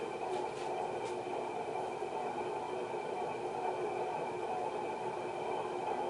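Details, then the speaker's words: 1991 HRS L-356 industrial ceiling fan, cast iron motor, aluminum blades, on variable speed control turned to high: steady rough gritty whirring roar with faint whistling; worn bearings, pretty bad. "Get you the bearings. Pretty bad, huh?"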